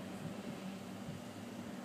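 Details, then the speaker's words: Large wind turbines in Fairhaven, Massachusetts, in a breeze estimated at 15–18 knots at the top, recorded near the base: a steady, even low hum that comes from nearby transformers, no knocks or blade swish. Normal, quiet turbine operation. "that's just quiet i mean really these things are huge"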